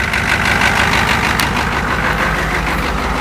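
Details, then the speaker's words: 1986 Ford F-250 diesel cold start at 14°F after glow plugs, at high throttle: steady even diesel clatter, about three firing knocks a second, no misses; healthy cold start. "I love that sound of a cold diesel in the morning. nothing better."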